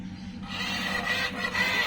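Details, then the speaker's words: Toyosaki voltage stabilizer (220 V and 110 V outputs) with a strange noise and output jumping high: a steady low hum with raspy whirring bursts as the servo keeps hunting. Abnormal servo noise, with a drifted control trimpot throwing the output off. "nah seperti itu teman-teman nah terus ada suara dengung [Tepuk tangan] Nah mungkin yang dimaksud teman saya itu seperti itu ada suara aneh jadi si stabilizer ini nampaknya tidak berfungsi sebagaimana mestinya ya"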